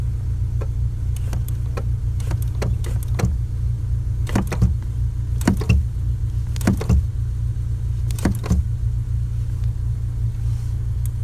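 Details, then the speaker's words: 2008 Honda Civic Si with Exedy Stage 1 clutch and light flywheel: car idles as the clutch pedal is pressed and released in short bursts, no squeak after spraying lube on the pedal. "the squeaking is gone so should be chill it doesn't sound like it's gonna break pretty much"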